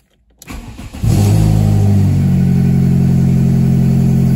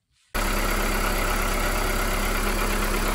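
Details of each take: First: VW Polo 6N2 after fitting a new catalytic converter: engine catches and idles with a sharp rhythmic puffing tick, about four a second, from bolts left untightened between exhaust manifold and new catalytic converter; exhaust manifold leak. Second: VW Polo 6N2 after quick-fixing the loose intake sensor duct with a compressor tube: engine catches and settles into a steady, even idle with no hiss or stumble; smoke attributed to the catalytic converter heating; normal idle.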